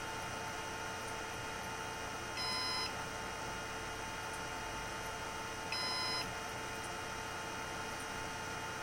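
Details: Synology DS118 NAS with a replacement fan in quiet mode: the fan runs below the RPM Synology expects and the unit thinks it stopped; short high beep bursts about three seconds apart over electronic hum; fan failure alarm.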